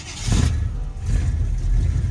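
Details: 1983 K20 chassis with C10 body, sat all Alberta winter in a field: slow, labouring cranking on a tired battery, then catches into an uneven, surging idle; owner suspects water in the fuel tank.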